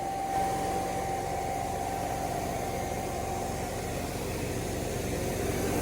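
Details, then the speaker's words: Planter test run with the new 295 tractor: vacuum fan that blows air through to carry the seeds gives a steady rush of air with a constant high whine, no surging, rubbing or rattles; the fan runs normally. "that's what blows the air through here and blows the seeds"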